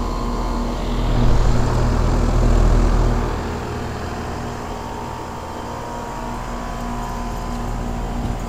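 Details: 5-ton 2001 Trane XE1000 Weathertron heat pump in heat mode under high load: deep steady fan drone with a fast even rattle as the fan grill and condenser side cover shake.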